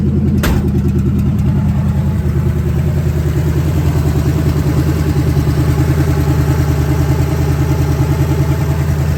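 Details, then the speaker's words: 1970 Ford Falcon with a budget-rebuilt 5.0 and AOD, cold after its first start: a deep, steady V8 rumble on open shorty headers, firing even and unbroken. Oil pressure is about 70–80. No ticks, knocks or rattles; a healthy idle. "thing runs and dry well runs starts up pretty easy which is good the motor's not making any weird noises"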